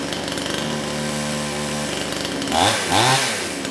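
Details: Kraftworld KW-5800 58cc Chinese two-stroke chainsaw, previously non-starting after being run on straight fuel, now with new carburetor fitted: strong steady buzz, then two clean revs up and back down; runs and responds to throttle properly.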